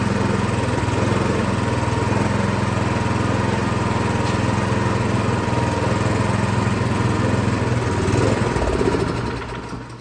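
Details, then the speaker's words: Craftsman SB 425 24-inch snowblower, primed and started on full choke: it runs steady and strong choked, then the beat sags and fades. It only runs on choke, and a carburetor problem is suspected. "All right, well, it does start, but it seems that it only runs on choke."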